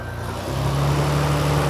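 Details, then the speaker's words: JDM import car (Dynasty Motorwerk, after MegaLife lithium battery swap), engine idling with battery disconnected: steady idle pitch climbs and settles higher as alternator charging load drops off, confirming alternator is good; reconnecting battery drops revs again. "RPMs go up because the alternator is now not having to charge the battery. It pulls the drain off of that. And you hear the revs go up, but we know your alternator is good because it's got no battery."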